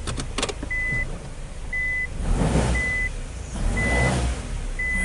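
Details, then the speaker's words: Car with a customer complaint of loud knocking while driving, held on the brake while shifting gears with chassis-ear sensors on the axle, ball joint, spindle and cradle: a few sharp clunks under the reverse chime. Cause: bad axle at the CV joint, replaced. "basically was a bad axle as I said it was coming more from the CV joint side"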